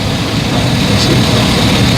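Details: 2011 GMC/Chevy 3500 with 6.0 liter V8, crank-no-start fixed by wiring an inline fuse to bypass the fuse/relay circuit; loud steady V8 rumble holding even without stumbling, truck starts and keeps running.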